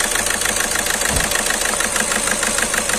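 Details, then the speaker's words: Skoda Rapid at idle, malfunction light on, engine shaking badly: lumpy idle, uneven beat about three pulses a second with periodic stumbles; scan shows cylinder 2 injector circuit fault causing misfire. "इसमें गाड़ी बहुत जबरदस्त हद रही है cylinder तू injector circuit करते हैं"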